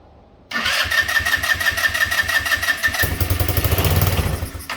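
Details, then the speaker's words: Yerf-Dog go-kart with a GY6 150cc engine, spark restored with a test CDI after a bad regulator/rectifier. With fuel put down the carb throat, it fires and runs raggedly for about four seconds, then dies: fuel starvation from a gummed-up carburetor. "All right, so what's going on is that because of that regulator not being right, and this fuel,"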